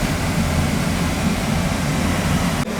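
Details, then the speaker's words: Boiler on a heat call after a faulty upstairs thermostat was replaced: steady low roar of the burner firing with an even rumble and no banging or whistling. Normal operation; the bad thermostat was the cause. "Sounds like it's running to me. It's calling. So that's what it was, with a bad thermostat."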